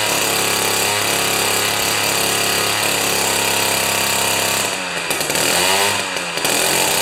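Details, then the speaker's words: Jiffy 30 2-stroke 3HP ice auger after carburetor work, J19LM plug instead of J17LM: high steady buzz at high revs, brief dip and recovery as mixture is turned out from lean; runs clean and strong. "i can set it to the point where it's absolutely whining high rpm but it's just sounding lean and then i turn it out a little bit and it looks good"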